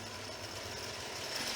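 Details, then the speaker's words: Home-built CVT (Reeves drive) with spring-loaded motor-shaft pulley on a restored lathe, run unloaded: busy hissy clatter with a fast loose rattle over the spinning drive; builder says it sounds worse than it is, source not pinned down; rattling noise. "now that might sound a lot worse than what it is"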